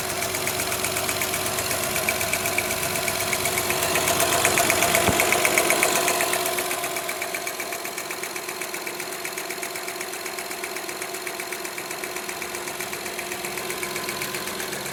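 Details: Honda Odyssey petrol V6 at idle: sharp steady tick about four a second over the engine hum, with a cylinder 2 misfire; cause of the tick suspected, not confirmed.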